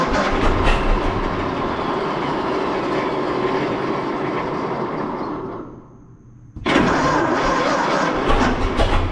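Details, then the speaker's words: 1926 Seagrave city service ladder truck, 1013 cu in "F" six-cylinder, first start in 10+ years after long sitting, fuel fed to carburetor; rough uneven sputtering nearly dies then catches, too much gas, flooding on start; owner also suspects a valve stuck open. "uh she wants to go i think we got too much gas so i'm gonna i'm gonna stem the tide of fuel here"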